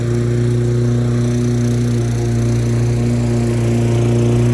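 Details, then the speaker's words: Lawn-Boy mower with a Tecumseh 4.5 hp four-stroke engine, running after sitting 20+ years: the small single holds an even, steady idle with a constant hum and no surging or misses. Normal idle, "pretty good". "idle's pretty good wow nice"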